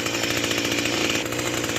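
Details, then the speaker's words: Small garden tiller engine after a replacement piston swapping out the shattered one, idle screw just backed off from a slightly high idle: steady, even buzz with no misses or hunting; normal idle. "All right, that sounds good. Let's take her out back and see how she operates in the garden."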